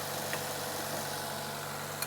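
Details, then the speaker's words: Mercedes Sprinter van, engine started after fuel-line check: smooth, even idle with steady hum, no knocks, misses or rattles; engine runs and sounds good, though battery is completely dead. "The engine is running. It sounds pretty good. Sounds pretty good."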